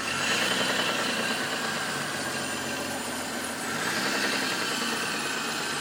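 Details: Mitsubishi Diamante 6G73 V6 at idle: a steady, fairly quick knock runs under a hissy idle, caused by a worn crankshaft bearing shell. A whistle is attributed to the belt; the valves were also suspected.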